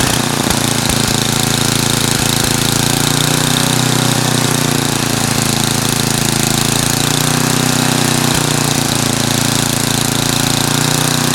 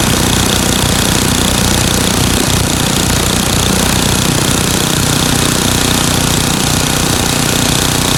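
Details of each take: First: Craftsman 9 hp snowblower with Tecumseh engine running with back-and-forth speed wander, then shutting off; governor surging, owner plans to replace and tighten the governor speed control spring. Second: Craftsman 9 hp Tecumseh snowblower engine after fix: runs flat-out at an even speed with no hunting or surging, after adjusting governor speed-control spring tension and setting the screw to about 3600 rpm, checked with tachometer.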